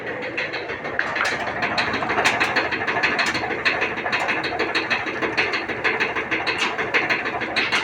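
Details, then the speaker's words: Maytag commercial dryer: steady run with hard thumps about one and a half per second rising and falling with the drum; suspected worn drum rollers, not confirmed. "I do believe it's the drum rollers in in this dryer that's gone bad but it uh just makes a very loud bracket you can hear it from up on top the Third floor it's very loud"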